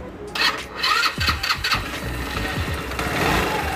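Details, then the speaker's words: Scooter after CVT belt repair with cover refitted: engine catches and settles into an even run, no scraping or rattling from the belt drive; transmission now sounds normal. "amigos, así confirmamos los sonidos anormales de nuestra motoneta. Y como podemos ver y escuchar, más bien dicho, ya no se escucha como antes."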